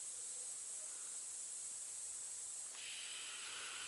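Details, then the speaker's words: Truck 796 air system: constant sharp hiss with no rhythm and nothing else running, from a leaking compressed-air fitting found while chasing several leaks around the truck; another leak is heard further along. "air leaks can be very mysterious it's a lot of fittings on a truck lot it seems like you find one and then it's you fix it and then there's another one you can hear it up here okay here's one"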